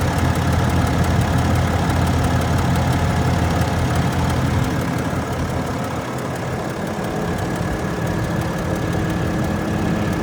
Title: 2021 Ram 2500 ticking noise